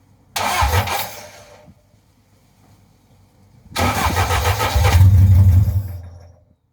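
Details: Vauxhall Firenza HPF with Lotus engine conversion, first start after cranking with plugs out to build oil pressure: a first burst of cranking dies, then a second try catches into a deep, steady rumble; normal start.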